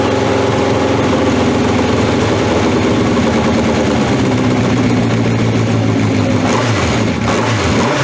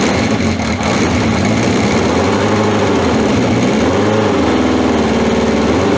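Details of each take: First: 1982 Honda CB750 K running on old, stale gas with fuel tap left off: loud running with uneven speed and sagging dips as it stumbles, easing once the gas is turned on. Fuel starvation stumble. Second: 1981/82 Honda CB750 K, near-cold start after about two hours sitting with battery refitted and fuel tap on: steady, even idle with smooth unchanging pulse, no knocks or misses; running healthy, no oil leaks.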